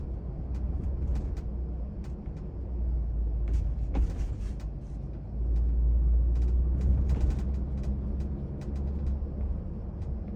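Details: Lexus GX550 at speed: sharp, irregular little ticks and rattles over steady low road rumble inside the cabin, from the rear D-pillar area, present at all speeds.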